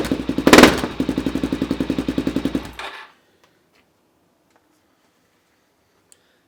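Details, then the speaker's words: Suzuki DRZ400SM single-cylinder with shortened Yoshimura exhaust, first start after the cut: sharp, loud barks with a throttle blip, then shut off; runs fine but exhaust note much louder than expected. "actually way louder than I thought it would be."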